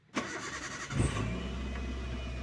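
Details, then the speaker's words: Car restarted after the FI fuse was temporarily replaced, check engine light on at key-on: brief crank, catches within a second and settles to a steady, even idle with no misses or knocks; normal start. "alhamdulillah sudah hidup ya."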